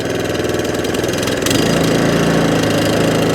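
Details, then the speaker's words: Allett Kensington mower, Kawasaki FJ100 single-cylinder engine, after carburettor cleaning: steady, even low-speed beat with no hunting or surging. Normal smooth running restored. "Top end revs, no hunting and surging. Running as absolutely sweet as a nut as the very first day it was"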